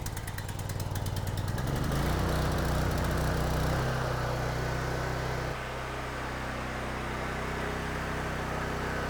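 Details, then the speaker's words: Mi-T-M 4000 PSI, 4 GPM pressure washer small engine being run after valve adjustment and plug work. It catches and settles to a fast, slightly uneven, lumpy beat; the owner suspects oil up in the cylinder. Rough running, cause not confirmed. "I want to crank it up and run it a bit. It will puffing a little bit. I got a feeling there's a bit of oil up in there."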